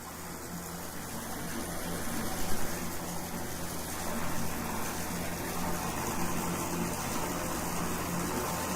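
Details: Septic system pump after a tripped breaker and alarm, with the breaker reset and the alarm silent: steady gushing water over a low, even pump hum, no stalling. Normal pump operation.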